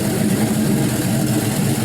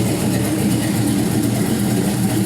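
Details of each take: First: LY6 6.0L gen 4 LS V8 shortblock, 5.3L 706 heads, 220/224 cam, untuned: deep even idle burble after a rev without stalling; runs healthy, no smoke, no leaks. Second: 6.0L LY6 gen 4 LS V8 with 5.3L 706 heads and 220/224 cam, test stand run before closed loop: steady, heavy, slightly lumpy thick idle, running fat; rich cold idle expected to clean up once fuel trims.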